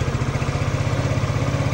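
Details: Rev-X 125 motorcycle, about three years old, that stalled when throttled, idling after a temporary fix pending a new part: small single thumps at a steady quick beat of about ten per second, no faltering; normal idle.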